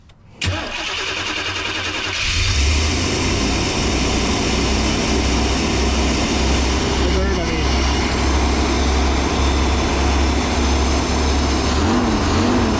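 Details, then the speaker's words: 1992 Chevy G30 one-ton van, 454 big block, after fuel system work and vacuum leak fixes: short crank, fires in about two seconds, settles into smooth steady idle without hunting, sounding much healthier; normal idle. "oh yeah I think those vacuum weeks are really causing some issues because that sounds way healthier"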